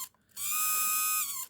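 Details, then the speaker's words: Secondhand Celestron NexStar 4SE mount, altitude (tilt) motor driving down: loud, shrill buzzing whine at one pitch; gearbox well greased, noise seemingly coming from the motor shaft at the top of the motor. "I've opened up this little gearbox area in this motor, and it looks like it's got enough grease and lubrication in there, but the sound seems to be coming from this motor shaft up the top here."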